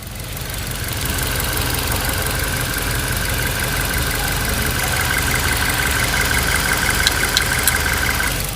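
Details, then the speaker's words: Suzuki Ertiga engine, warm idle about 800 rpm, mic near engine bay: light tik tik tik tick in clusters of three, repeating every few seconds, from right side of engine; also at high rpm. "itu tadi terdengar ya suara ada tiga ketukan tik tik ya itu berasal dari bagian sebelah kanan mesin ya bagian sebelah kanan mesinnya jadi suaranya itu akan berulang-ulang terus atau continue setiap beberapa detik sekali"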